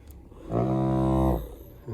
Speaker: when you do you will hear the rumble you can't see anything but you can hear it